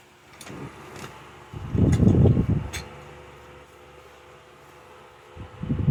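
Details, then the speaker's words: 2014 Lasko 16-inch table fan model 2506 with replacement motor, on high with oscillation engaged: even motor hum, air rush swelling as the head sweeps, no rattle or grind; runs smooth with no problems. "Runs smooth. Give it that. Has no problems with it at all."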